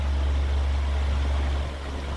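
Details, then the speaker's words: New Usha Farrata 500 mm pedestal fan, heard from the back of the motor: steady low hum with only slight vibration, no rattle or grinding; normal new-fan motor sound. "पीछे से ये sound आ रहा है, hand के पीछे से हल्का इसमें वाइब्रेशन है, हल्का।"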